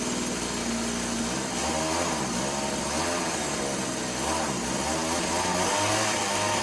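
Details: Tecumseh TC300 two-stroke on Eskimo ice auger, after idle bumped up, carb mixture screw set one turn out: uneven, wavering buzz that hunts rather than holding steady; rough running, suspected carb tuning.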